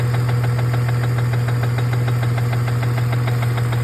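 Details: BMW E46 330 at idle: steady sharp tapping, evenly spaced over a smooth hum; knock/tap/rattle, source unconfirmed.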